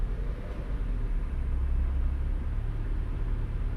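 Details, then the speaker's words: Engine idle tuned with a 12% idle increase for AC: deep even idle rumble holds steady with no dips or hunting as the AC switches on and off; rpm briefly rises then settles. "Now, let's watch what happens when I turn the AC on now. Look how flippin' stable that is."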